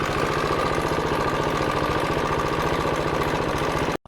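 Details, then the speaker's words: KTM Duke 390 single-cylinder at idle, fast dry metallic clatter over each firing beat; failed cam chain tensioner, appeared suddenly while riding, no overheating or power loss, fixed by fitting a new tensioner. "So guys the problem is this is a chain tensioner. तो ये वाला ख़राब हो चुका है."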